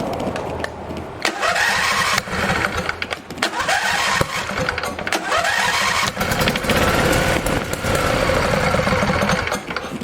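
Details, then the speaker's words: Husqvarna 2246LS V-twin mower with mouse-damaged wiring repaired and new fuel filter: starter cranks in repeated bursts, no start even with starting fluid; cause was a cut fuel line sucking air, fuel pump likely fine. "Had a uh bad piece of fuel line right there. Bad fuel line. had a cut in it and was sucking air."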